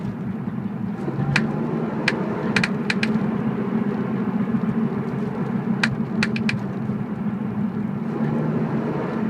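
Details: BMW E46 while driving: sharp metallic clicks in irregular clusters over steady road noise, from the rear. Source not yet identified.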